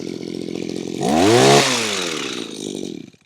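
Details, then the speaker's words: Makita petrol two-stroke hedge trimmer, about 15 years old, after replacing perished fuel lines that caused bogging and cutting out when tilted: revs up sharply, holds a clean even buzz, then eases back and shuts off, with no bogging; repair successful. "A great repair. It's all fixed, working again, which is great news, because these are not cheap."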